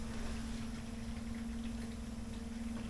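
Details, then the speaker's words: Boat freshwater pressure pump running at about half flow, cover closed, no leaks: soft, even low hum at one steady tone with gentle watery rumble, no surging or rattle; normal pump running. "And I'm now going to close this up and show you what this pump sounds like when it's kind of running at half flow."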